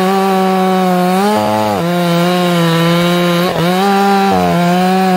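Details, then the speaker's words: Ported chainsaw with carburettor properly tuned: high, steady scream that cleans up and pulls hard in the wood under load, then four-strokes again when lifted out of the cut. "you actually get it some load on it it cleans up and pulls hard the minute i pull it up it starts four stroking again"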